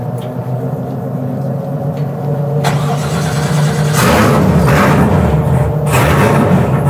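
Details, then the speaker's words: 1967 Chevy C10 that broke down at the dragstrip: starts and idles fine, but when throttle is touched revs climb roughly and unevenly, then it dies; stumbling and stalling under throttle, cause unconfirmed. "It just died again. It's really unhappy. Well, it ran good for a minute."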